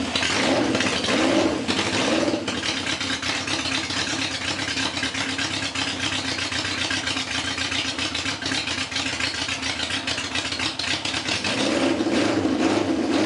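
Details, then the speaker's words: Honda CB750 chopper with four rebuilt carburetors, spark plug boots corrected and fuel line connected; started on full choke, settles into busy, slightly lumpy but steady run with no misfire gaps; normal running on choke. "Um, let's just hit full choke, crank it, see what happens."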